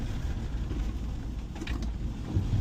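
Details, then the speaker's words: Land Rover Defender 110 while driving after fitting Fox shocks, comfort springs, Brembo/AP brakes and a new handbrake cable: steady low engine and road rumble with no knocks or clunks; the handbrake clunk is gone. "The handbrake cable being changed is also much better now as well. It's not making a clunking sound."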